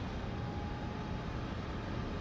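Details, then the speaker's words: Air heater in a snowmobile trailer at startup; the fan revs up to purge the burn chamber before the fuel pump ticks and the glow plug lights; steady, even fan rush with a faint high whistle, no knocks or rattles; normal startup fan purge. "here at the here it rev up it's clearing out everything out of the burning Chambers what it's doing"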